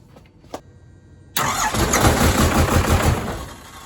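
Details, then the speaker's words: Diesel truck with new fuel pump, after cracking three injector lines to bleed air and retightening them; starter catches and the diesel fires straight up into a steady clattery idle with no misses. Normal start. "there we go she cranked she is good"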